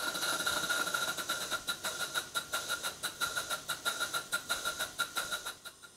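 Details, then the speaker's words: Large Stuart Models twin Victoria steam engine running on compressed air while setting valve timing: sharp exhaust puffs about two per second, slightly uneven spacing and strength after an eccentric adjustment, not quite as good as before. "what does it sounding like well not bad possibly not quite as good as it did a moment ago"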